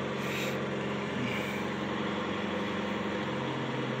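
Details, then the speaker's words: 1985 Cadillac Cimarron started after a few months of sitting: a steady low idle whose even hum sags slightly as the alternator load comes on and drags the revs down. "can hear the alternator drag it down"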